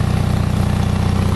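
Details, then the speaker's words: Onan 5.0 CCK-4R 5 kW self-contained 120/208 V three-phase dual-fuel genset (gasoline, propane or natural gas), low hours, running one leg at about 115-117 V, 60 Hz, just under a third of full load: steady, even low thrum with quick regular pulse, no knocks or rattles; quiet, healthy normal running. "That's got about a third, maybe just shy of a third of its load, full load. But that'll give you a good idea of how quiet this unit is,"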